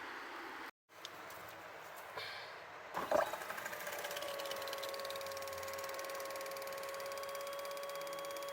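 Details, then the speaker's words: Triumph T100 Bonneville (0 miles, long stored, non-starter) fuel pump removed and bench-run: rattly buzz at start, then a steady high whine; noisy at first, and the mechanic suspects crystallised old fuel inside the pump. "There was a lot of noise there at first, so I reckon there was just some of that crystallised fuel inside the pump."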